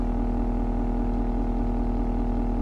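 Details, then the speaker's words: Duramax diesel truck with Allison 10-speed, idling in Drive: a deep, steady idle with a low droning shudder underneath. The vibration appears only in certain gears, not in Reverse; the cause is unknown, alongside a Duramax tick. "also one thing that's really annoying about this truck which I don't know why it does it does it sometimes does it in certain gears listen to this thing here this vibrating it's down here was it"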